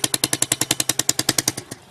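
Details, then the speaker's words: Chinese 125cc Baja Dirt Runner dirt bike after the restored exhaust pipe was refitted; sharp, even puffs about eleven a second at idle, then the engine cuts out; exhaust leak at the cylinder port because the pipe is not seated properly. "That sounds like we have a leak. We do. That's not in there properly. This can sometimes happen."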